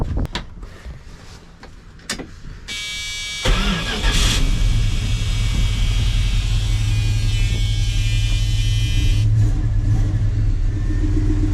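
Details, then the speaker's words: Magnum 5.9L V8 swapped into 1980 Dodge W200 Sno-Commander, cold start: clicks, cranking, then uneven lumpy idle with exhaust popping and low-rpm misses; four of eight plugs fouled, owner suspects badly rebuilt used carburetor. "You hear that popping? Now, obviously, when I shut the exhaust off of my hand, it does that, but it's missing down low. The plugs are fouled, and they miss every once in a while."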